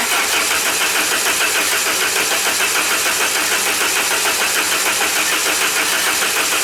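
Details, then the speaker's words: 1994 Saab 9000 non-turbo, just after injectors were rebuilt with new caps and seals and flow tested: steady fast cranking that never catches, fuel rail empty and needing a few cranks to rebuild pressure and fill injectors. "fuel rail's empty it may take a few cranks to get pressure out pressure back up in there get the injectors and everything full"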